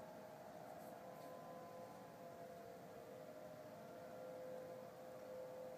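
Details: Sound heard in the sky over Denver, CO, early November 2012, recurring at the same time and weekday, assumed man-made, ending with a "powering off" sound; steady mid-pitch wail with no rise or fall: unidentified wailing sound.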